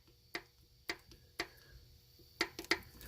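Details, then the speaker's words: Duramax LB7 diesel, 230,000 miles, upper valve cover off, engine stopped during injector replacement: sharp irregular metallic clicks as rockers are rocked by hand; rocker arms need valve lash adjustment. "all of these could rocker arms can really use adjusted"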